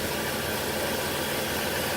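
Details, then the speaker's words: 2001 Chrysler Town & Country wheelchair van, 3.3 V6, 201k miles, new battery, no leaks or smoke. Heard from underneath, the idle is an even, steady hum with no knock, tick or stumble: normal idle. "Underneath the hood has a 3.3 V6. It idles smoothly. Engine sounds good."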